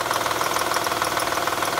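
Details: 2007 Honda Odyssey 3.5 V6 idling: fast, even ticking rattle diagnosed as a worn timing belt tensioner; alternator also noisy when spinning; customer authorized only alternator service, leaving timing belt risk.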